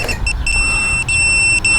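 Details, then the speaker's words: HolyBro Kopis 1 race drone in flight: a piercing high-pitched low-battery warning beeper whose pitch rises as the battery drops and then beeps faster, signaling to land. "What's cool about this one is it has a higher pitch the lower the battery gets. So, you know, you could fly maybe another lap like this. And then when oh, it actually starts beeping faster."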